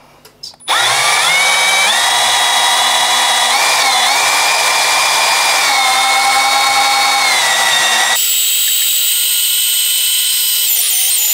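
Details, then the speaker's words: Drilling a steel window lintel with sustained pressure: steady high drill whine dipping slightly as the bit bites, then even; cuts through normally in 43 seconds. "43 seconds that is the quickest I've done one yet normally it takes a little bit longer than that you can see how quick you can actually get through a steel lintel just by using this method"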